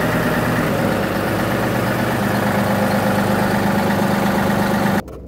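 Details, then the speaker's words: 2018 John Deere 3038E diesel tractor, previously intermittent crank-no-start with code ECU A 523249.05 (crank/cam position sensor), after cleaning the sensor; fires right up into even diesel clatter at idle, no misses, no codes. Normal idle. "But now, she fires right to life. Awesome."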